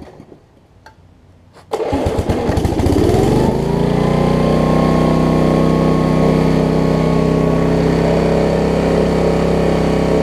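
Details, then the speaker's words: 1981 Snapper RER riding mower after carburetor work: catches after a couple of pulls, runs smooth and steady but slightly fast; owner suspects remaining governor issue. "here it is running fine now"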